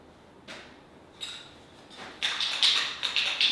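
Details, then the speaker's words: Yamaha Raptor 700 ATV clutch lever with worn, wobbly mount during maintenance: short sharp high squeaks, about two a second, each lever pull; dry clutch arm and cable, to be lubed with chain lube. "then you can hear it squeaking a little bit."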